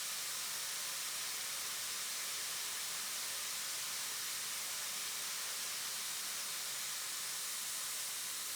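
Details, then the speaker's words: Relief valve set at 108 psig on an air test stand, held fully open about 15 seconds before pressure is reduced for blowdown: loud, steady, even hiss with no chatter or flutter; clean full-open discharge. "Now that we have reached the fully open state, we will hold it here for about 15 seconds and start decreasing the pressure to show blowdown performance."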